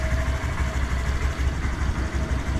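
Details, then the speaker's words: Wrecked 2018 Honda Grom from auction, old battery read 0.1 V, new battery fitted, oil checked, first start: small single settles to a steady even low putter with no knocks or misses; normal idle. "one big stress relief off my shoulders all right so now we know it runs"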